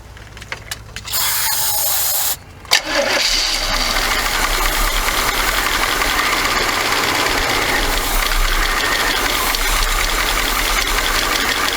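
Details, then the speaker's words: 1979 Chevy G20 van that sat about 30 years, sprayed with carb cleaner: cranks, runs roughly briefly, then dies. It is not picking up fuel; the carburetor probably has to come off. Suspected, not confirmed. "She ain't picking up no fuel. Nope."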